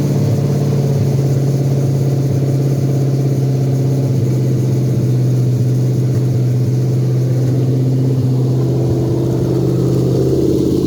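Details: Toyota 2UZ non-VVTi V8 (1998–2002) on a custom harness, with the ECU flashed for a manual transmission and a performance tune, at a smooth, steady idle after startup; the DTC scan shows no codes.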